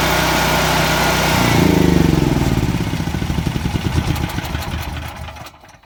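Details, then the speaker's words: Firman H07553 9400W dual-fuel generator, new, first start on gasoline with electric start after 8–10 seconds of cranking to prime fuel: engine catches and settles into an even, steady single-cylinder beat before winding down; healthy normal running. "All right, that's all she wrote. But yeah, it ran pretty good."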